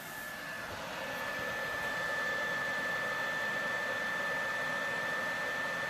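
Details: PlayStation 4 Pro before cleaning, game loading/running: steady loud rushing air with thin high whine holding constant; fan stays loud, heard through headphones.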